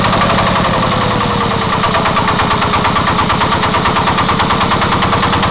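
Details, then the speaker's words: Walk-behind tractor single-cylinder engine at steady speed with a hard, regular knock on every beat; it began after a loose crankshaft counterweight was retightened; valve clearances normal, nothing rubbing; cause unknown. "Такий стук, як заводу. Що воно може бути, я не знаю."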